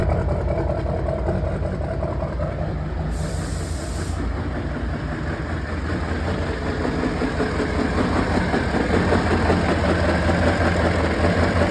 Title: 6.6L duramax engine knock with smoke an 1 misfire need your answers an opinions